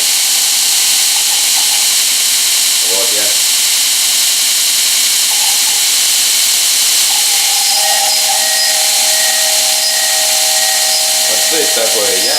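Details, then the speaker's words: 2.2 kW motor on a Korean-made variable frequency drive: a loud hiss with a steady high whistle at start-up, jerking when the speed changes. Owner suspects the inverter or its settings; cause not confirmed. "вот у меня глинда движок 2 и 2 киловатта подключим через частотный преобразователь вот и когда он запускается он издает странные звуки"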